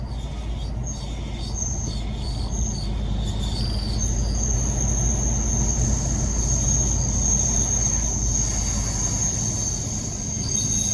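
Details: Isuzu at about 40 km/h after all fluids changed at dealer: steady high thin squeal over road rumble from front wheel; owner says not pads on disc, suspects brake-fluid related, unconfirmed.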